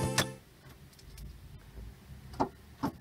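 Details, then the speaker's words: Ford (Tempo) in neutral/park: the key gives a few sharp isolated clicks with no cranking. Current passes from the ignition switch to the relay and starter solenoid, but the starter doesn't turn; the fault is in the starting system. "pero vean como soy el tic tac ese tic tic señores es cuando se conecta el que sí que la corriente se está pasando de aquí del switch está pasando directamente al relay a la pastilla de encendido"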